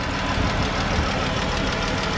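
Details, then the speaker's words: 2013 Chrysler 300 with 3.6 L V6 at steady idle. A fast, light lifter-like tapping from the top end, louder on the driver side than the passenger side: valve train ticking. "see 3.6 liter be BG and it has that ticking sound like a lifter and something and it's in there ticking"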